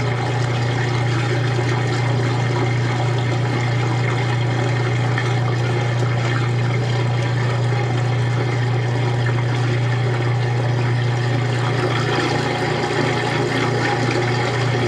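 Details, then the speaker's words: Washing machine transmission during a wash, recorded in 2014 in a room whose walls and floor add echo: a steady low hum with smooth, regular churning under the water, no knocks or grinding; running normally. "Yeah, I love how the transmission sounds on this one. I think the walls and the floor help it echo a little bit."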